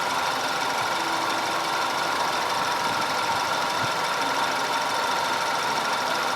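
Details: 2010 Audi A5 2.0 TFSI Cabriolet after repair of random and constant cylinder 4 misfire (P0300, P0304, P130A): even, steady idle with no stumbles or dropouts and only a light valvetrain tick; running smoothly.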